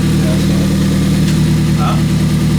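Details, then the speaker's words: Ford Fiesta ST after rebuild with Direnza tubular manifold and RT330 hybrid turbo, first start on a cold night: even, slightly fast idle with a steady hum and no ticks, knocks or stumbles, engine light on; sounds healthy. "Hey! He's running fast. He's got an engine light. Huh? Got an engine light."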